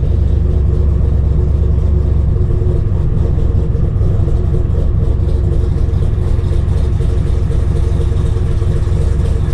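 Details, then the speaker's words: RX-7 with 7.0L 427ci LSx V8 swap, cold after five months' storage, idling without throttle: deep loud idle with uneven rocking cam lope, steady, no knocks; big cam idling as it should. "love that cam giving that rocky rocky back and forth"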